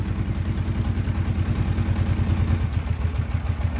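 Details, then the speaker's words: Kawasaki KFX700 V-twin ATV at idle: lumpy, limping low thump, not running on the front cylinder. Electrical short found with the fuse shimmed by a wire and a dead battery. Engine running on one cylinder. "it's like it's not running on the front cylinder right now"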